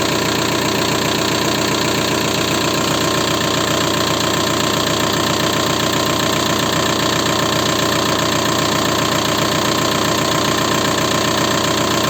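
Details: VW 1.9 TDI diesel (ALH/AGR/ASV/AHF), knocking after an oil change, at idle: an even knock about 2.5 per second over the diesel clatter. Worn hydraulic lifters and piston slap; the knock nearly vanished after replacing the lifters, and the rings also needed replacing.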